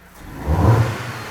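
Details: 2007 Dodge Caliber 2.0 non-turbo four-cylinder with no-rev drivability complaint: quick clean blip, revs climb smoothly, peak, settle back without stumble; normal revving, healthy throttle response.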